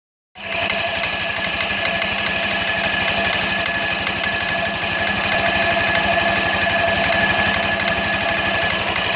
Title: variator metal knocking noise